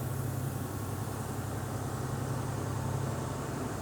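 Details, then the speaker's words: 2004 Volvo truck that sat idle for six years runs with a deep, even diesel drone, no knocks, misses or rattles; engine sounds healthy. "that engine sounds good it's actually blowing cold air I kid you not"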